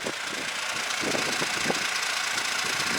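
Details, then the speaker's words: 2016–17 Hyundai All New Tucson 1.7 diesel with DCT, idling: loose uneven chattering rattle, three to four clatters a second, from play between DCT clutches 1 and 2; disappears when revs raised; suspected DCT fault, unconfirmed. "dct 비전 frau 1이랑 2 클러치 사이가 이렇게 약간 흔들릴 몰라요"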